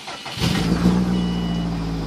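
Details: 2005 Subaru Impreza WRX with rebuilt heads, finished rebuild: a short crank, then it catches within half a second and settles into a steady, even idle. Starts cleanly.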